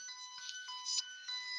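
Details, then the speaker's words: Circuit tracer at an outlet: strong, pure high tone rings clear, overtones stepping in and out, showing a good connection to this outlet; clear circuit tracer tone. "You can see where we get all the bars. So if I was to go over here, this is going to ring clear. And it does."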